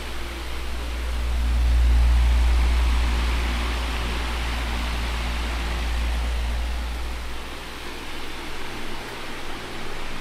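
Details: 2002 Midea 16" oscillating pedestal fan with mesh grilles, before cleaning, stored unused for a couple of months, on high with oscillation working: a smooth, steady rushing hum with a low drone and no rattles or ticks. Normal high-speed running.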